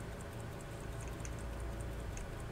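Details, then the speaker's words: Faint, quick, even ticking over low room hum from an 1800s AWC Waltham full-plate pocket watch after complete oiling and reassembly; gear back in place, watch running steadily, normal. "I think it's no problem there I can hear it ticking hear that there take it up to the mic here now when I know that I know that the gear is in place so and now I can actually I can actually widen the watch some more and give a little bit more amplitude that's good enough there we go done"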